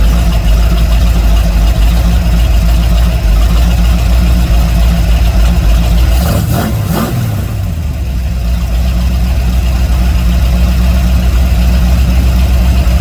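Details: Dodge D150 truck carburettor after lowering an overly high float that caused a rich idle: engine settles into a steady even idle with smooth low drone, no misses or stumbles; fuel level now just below half in sight window.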